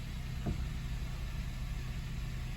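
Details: 2024 Honda Civic Sport at 5,000 miles, started with hood open right after its first oil change with 4 quarts; smooth, even low idle with a steady hum, no ticks, misses or knocks, no warning lights; healthy.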